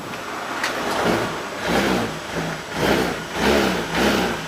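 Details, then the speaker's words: Honda Beat FI scooter that had died completely: after speedometer lights and fuel pump hums, it fires cleanly and takes even throttle blips with smooth pickup, no misses; running normally, fault traced to a bad, shorted battery. "Normal teman-teman. Malah normal. Tuh. Malah normal."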